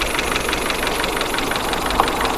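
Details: Suzuki APV 4-cylinder engine with an uneven, stumbling idle and irregular puffs and knocks; a misfire.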